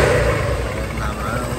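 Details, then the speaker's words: Honda SH300i after clutch/variator rebuild, driveshaft fix and new radiator, cured rattle, whine, vibration and overheating; smooth even running with steady low hum and no rattling or knocking. "máy nhẹ nhàng nha Rồi ok láp làm là nó hết bị kêu cái miếng cọc cọc luôn"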